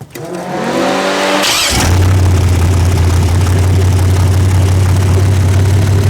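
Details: Freshly rebuilt 406 V8 starting for break-in: brief crank, catches, then a strong, even, deep drone, no knocks or misses, smooth and healthy. Planned 15-minute run; open plenum fitted; crew thinks it may need a bigger carburetor.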